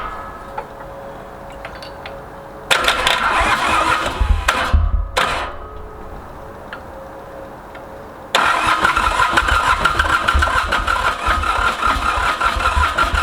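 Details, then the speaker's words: Ransomes Bobcat mower with Mitsubishi K3D diesel, first start after 9 years, starting fluid used. Repeated cranking bursts with brief uneven firing that dies back each time; won't keep running. Owner is considering the head. "man this thing is so close to going you can you can hear it wanting to just jump huh"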